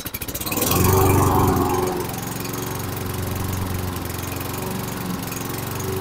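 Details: 2011 Toro Recycler 20376 single-cylinder mower after blade brake cable replacement, started before idle-spring tab adjustment, little gas in tank; surges after start then low, uneven wavering beat; low hunting idle, carburetion suspected, Seafoam planned.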